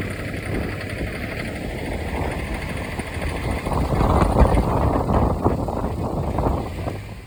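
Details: Daihatsu Move Canbus engine with a rapid light tapping rattle that grows louder as revs rise, then fades; the knock was caused by carbon deposits and was fixed by cleaning the engine internals.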